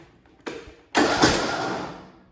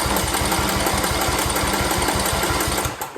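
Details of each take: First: Briggs & Stratton single-cylinder Intek engine, valve cover off: starter whirs briefly then stalls abruptly against compression, twice; the camshaft compression release is not working, though the engine runs fine once past compression. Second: Briggs & Stratton single-cylinder Intek engine after camshaft replacement: fast, even chugging as the starter spins it with no heavy catch at top dead center, then winds down; compression release working, normal cranking.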